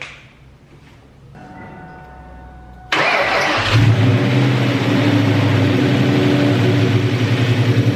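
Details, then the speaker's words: 2003–2004 SVT Cobra supercharged V8 after full engine rebuild, first startup: cranks, catches, settles to rough idle with light fast rattle underneath; holding oil pressure, slightly smoky; owner suspects belt, source unknown. "Hear a little bit of a rattle. Could be something with my belt. I don't know."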